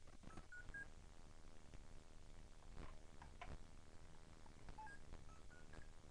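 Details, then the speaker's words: RC vehicle with brushed motor, receiver switched on; a few short high beeps over room hiss as the speed controller cuts out because the poor-quality battery connector loses contact. "see I have to have to turn on my receipt the trans you hear that that beeping noise means it's on now right now see it just already disconnected Jesus"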